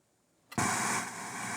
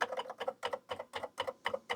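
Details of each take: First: Faulty Atari 400 8-bit computer with BASIC cartridge, black screen and no response to reset: silence then a sudden flat hiss with no tone or music; static instead of audio output. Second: Atari 8-bit computer after a bad connection was fixed, cover back on, running BASIC: crisp, evenly spaced double clicks about four a second with each keypress; key-click sound working normally.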